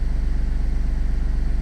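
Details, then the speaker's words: BMW 2 Series F45, previously no-start; after repair and reassembly, starts again and idles steady and even, smooth regular pulse, no misses or knocks. "Let's try. Start one more time. And yes. Starting."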